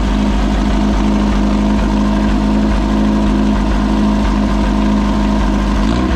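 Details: Possibly 1973 VW Baja Beetle, long-stored with no air cleaner, first start after choke adjustment and throttle cable lube: steady, even air-cooled idle with a smooth low throb, no misses or knocks; running cleanly.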